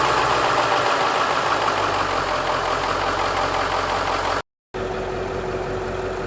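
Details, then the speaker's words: Ford Powerstroke diesel started in cold weather after hydronic heater preheated the coolant, gauge already above the cold line: steady diesel clatter settling into an even idle, no misses or heavy knocks; healthy start. "As you can see, is right after it started, I'm already above the cold line."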